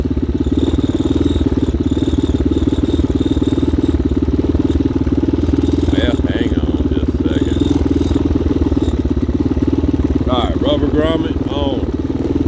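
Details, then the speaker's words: 2019 Hawk 250cc single-cylinder with a newly replaced carburetor, warming up on a cold day: an even, rapid putter holding a steady idle on its own with no misses or knocks. Normal idle before the first ride. "all right guys we got it going man it's sitting here idling on its own"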